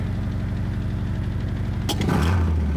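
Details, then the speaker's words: 1975 Toyota Corolla KE35 at idle after a starting problem (clicking, suspected starter or electrical fault): low puffing idle of about four pulses a second turning harsher as it steadies; audible exhaust blow, a leak in the exhaust. "You can hear though the blow that I'm talking about. You see you hear the blow the exhaust blowing. So that's that's what I mean. Like that's not a nice sound."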